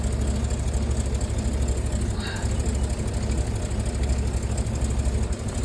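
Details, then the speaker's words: Rolls-Royce Silver Cloud S2 V8, warmed up, in cold weather, during plug-lead pulls: deep uneven stumbling idle, some cylinders misfiring; spark plugs suspected, to be regapped and replaced with Champions. "Definitely have some misfire from some of the cylinders."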